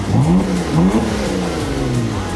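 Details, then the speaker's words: Rebuilt wrecked Porsche Macan Turbo first start after repairs, no turbo or other leaks found: engine catches and revs up and down cleanly, no misses or rattles; normal. "The Vibes are high so we got the car running to Temp it held steady at 200° I think that the cooling system and all that is good to go"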